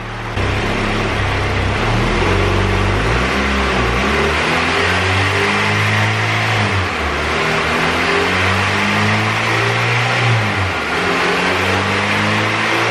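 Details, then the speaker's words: Honda EK coupe with turbo B18C GSR and aftermarket camshafts, new copper plugs fitted: under a hard dyno pull the note breaks up and surges, stuttering at VTEC. Fuel and ignition timing changes didn't cure it; VTEC/oil pressure suspected. "So I think we have a VTEC issue, oil pressure, something like that, because it's just stuttering really bad. I don't know if you guys can hear it in the video, but it just stutters like crazy."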